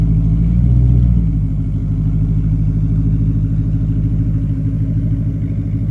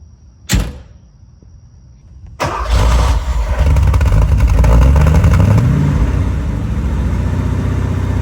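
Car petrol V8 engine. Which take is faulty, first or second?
second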